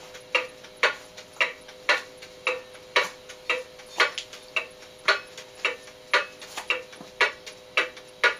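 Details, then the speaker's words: Antique cuckoo clock out of beat, not from tilt but from worn bushings and bent escape wheel teeth, before repair: tick-tock near one beat per second, uneven spacing and loudness, limping rhythm. "well can you hear that that's the sound of a clock that's out of beat and not because it's tilted one way or the other but because there's another problem"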